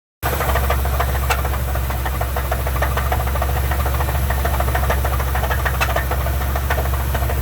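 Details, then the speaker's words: Truck idling with a heavy, steady, deep low knock from the bottom end; owner suspects a broken rod, something broke, and was told it would only get worse. "rod broke. The rod let go. Or something. Something broke."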